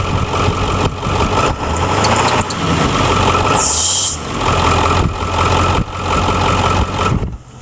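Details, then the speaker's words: Dual-alternator Ford F-350 Super Duty 7.3L Powerstroke diesel idling after the lower alternator pulley swap with a heavy-duty belt tensioner and 136" serpentine belt: a faint high chirp comes and goes over the clatter as the belt slips and squeaks on the lower alternator pulley. "well as you can hear that the lower alternator pulley is squeaking again so I guess something have to sleep it over a pulley off again"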